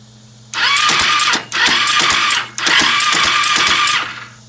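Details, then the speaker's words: Kawasaki Ninja 250 right after a head and valve replacement with the engine dropped out; the owner believes the timing is right. Three short bursts of starter cranking that turn over roughly and die without firing: rough cranking, no start. "it sounds really rough really rough yeah if anyone has any idea what I could have done please let me know thank you"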